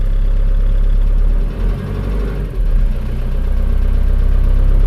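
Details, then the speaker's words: Car freshly rebuilt (engine overhaul) from Sragen, Central Java, started in the morning after two days unused; catches right away and settles into a steady even low idle without knocks or misses, normal cold start and idle. "langsung cegreng ya ini."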